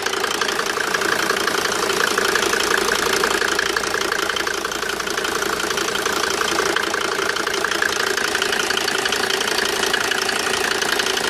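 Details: Mercedes W202 with OM605 turbo diesel idling steadily with a fairly regular knock about three per second; engine knocking, source not pinned down.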